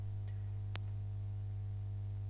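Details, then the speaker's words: CatMate/PetMate 33501 pet fountain mains AC water pump after cleaning hard-water scale that had stopped the motor spinning: steady, even low hum with one brief click; it runs normally. "even just that slight cleaning feels like it's made quite different so let's just connect it up and see if it there we go"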